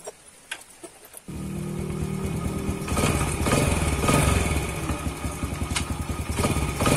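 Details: Yamaha Jupiter Z after repair, which had knocked on gear changes and on opening or closing the throttle: engine catches and settles into a steady, even beat that rises cleanly with throttle, with no clunks; knock gone.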